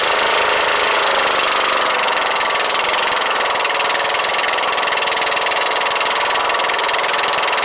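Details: Kohler Courage 18hp engine mounted loosely (just tightened), muffler bolts vibrated out: loud, raspy exhaust with a rough knock of about three beats per second over the running engine; source unclear.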